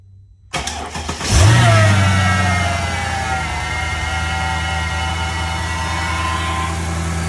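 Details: 2004 Mercedes C55 AMG (M113 V8), started after replacing the steering fluid reservoir and the oil filter/cooler seals so the steering fluid can cycle and bleed air: a quick crank, immediate catch and brief flare, then a smooth, steady idle; belts clear, running well.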